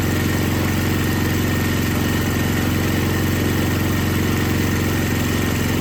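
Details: Older MTD Yard Machines snow blower with Tecumseh 5 hp engine that would not start, after carburetor was rebuilt and gasket found falling apart; steady even run with smooth low throb, no misses or surging, normal running.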